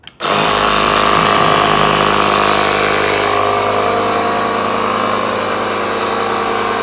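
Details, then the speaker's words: Small 12V compressor wired directly to the 1969 VW Bug's battery, screw-on nozzle, testing the old air shock lines for leaks: sudden start into a loud, steady, even buzzing drone; nylon hose not leaking. "So this is where you're gonna hear the air compressor change. And basically what I'm going to go ahead and do is see if I can hear any air escaping out, which I don't."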